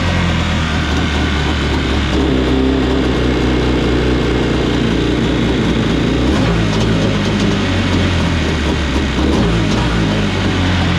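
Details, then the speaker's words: Kawasaki 750 two-stroke twin in a mini jet boat after pump, driveshaft and engine realignment; steady, even fast-idle burble at about 1500 rpm with no choke, no hunting or misses, running cleanly. "The idle set properly. So right now we're at no choke, and we are sitting at about 1500 RPM."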